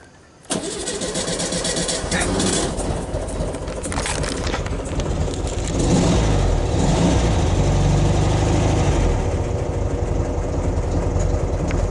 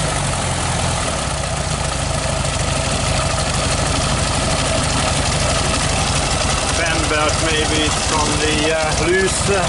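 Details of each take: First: 1969 VW Beetle, 1500cc air-cooled, push-button cold start: brief crank, then the engine catches and runs unevenly with a lumpy beat. Owner says the engine is cold and the auto choke isn't the best; it needed a restart. Rough cold start. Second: 1969 VW Beetle 1500cc air-cooled flat-four idling on light choke after a cold start, started on the third try; steady, slightly busy low chatter with no stumbles; healthy normal idle.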